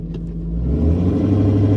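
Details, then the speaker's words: 2002 Ford F250 5.4L Triton after cold-start high idle drops to regular idle: deep rumble surging unevenly, RPM swinging 750 down to 500 then up to 1,000; rough surging idle from clogged idle air control valve. "Um and that's when this thing gets choppy. It'll uh go between, you know, 750 RPMs down to 500, and then it'll shoot back up to 1,000. Um and that's called surging."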